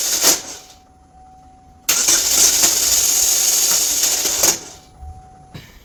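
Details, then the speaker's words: 2013 GMC Terrain 2.4L Ecotec cranking: harsh metallic grinding and rattling for about three seconds with no clean engagement; failing reduction-gear starter, typical bad-starter sound; starter sits in front by the radiator and gets replaced. "So that what you just heard there is a starter, a bad starter. This newer vehicle have a reduction style starter, reduction gear, and that's what they kind of sound like when they go bad."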